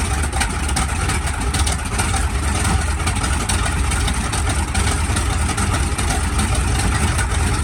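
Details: SB2C Helldiver engine on its first test run after an engine replacement, October 3, 2024: a strong, steady low rumble holding an even beat with no misses or surging; it runs smoothly.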